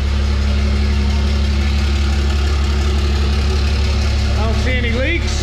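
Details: 1000 hp 6.7 Cummins drag race truck with a new fuel cell, AirDog lift pump and straight pipe, resonator removed, fired up quicker than expected: a deep, steady idle with an even low thrum and no misses or knocks, running smoothly.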